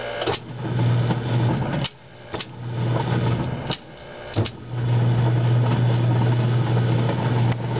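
A steady low drone that stops and restarts with clicks at each change; the coupler stays noisy even after greasing, cause unclear.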